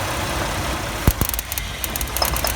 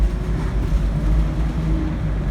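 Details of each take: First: 1997 Chevy Astro van, 4.3 engine, idling after the ignition coil was sprayed with water to test for moisture: idle stumbles with sharp irregular snaps and missed beats about every half second; misfire from coil arcing, would die if given gas. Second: 1997 Chevy Astro van, 4.3 engine, with an intermittent stall and no-start in damp weather, road-tested under hard acceleration: deep steady engine drone with no stumble or miss, pulling cleanly; healthy under load.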